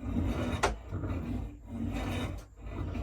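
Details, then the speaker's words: 5-inch gauge SR plank wagons, dry from years of shed storage, rolled slowly. A dry, rasping scrape swells and fades as the non-functional brake blocks rub on the rust on the wheels; brake block rubbing. "Some of that noise is the brake blocks, which are non-functional, I should add. Rubbing on the rust on the wheels."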